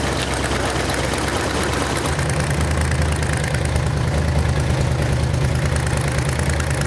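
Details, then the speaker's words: Rebuilt Ford V8 from a 1972 Pantera barn find, warmed up at idle: sharp rapid ticking puffs in time with the firing pulses; exhaust headers leaking through the cheap header gaskets supplied in the engine kit. "all right well we got the engine running got it warmed up real good and if you could hear it you could hear the headers leaking and I purposely used the cheap header"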